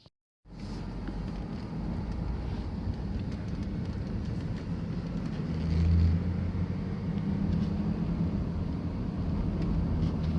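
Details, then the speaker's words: Van driving over bumps after all four shocks were changed, fixed by packing wire between the loose passenger-side rear shock bolt and body: steady low road rumble, no knocks or rattles from the rear; clunk gone. "okay I'll fix the rattle clunking those problems rather sound anymore so the wire I put the white between the the shock boat and body of this vehicle work because I take care of the looseness on between the bolt and body as you see no more router noise anymore"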